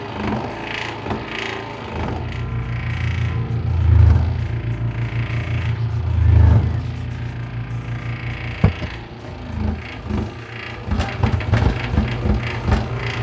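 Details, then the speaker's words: Bread maker with new, tighter drive belt, kneading dough ball: steady motor drone with irregular knocks and surges about four per second; motor still turns but the drive gear slips and the paddle stalls. "But the motor's still turning. I can feel the motor turning. But it's the gear itself that's slipping."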